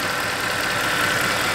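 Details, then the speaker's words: Mercedes R63 AMG M156 V8, 105,000 miles, idling after 1–2 minutes, still below operating temperature: steady, even idle with a smooth hum; the cold-start tick (some cam adjusters replaced) has gone, normal for these engines. "the noise is totally gone. So most of these M156 engines will tick a little bit when they're really, really cold. And as you can see here, our engine's not even up to operating temperature and the ticking noise is totally gone."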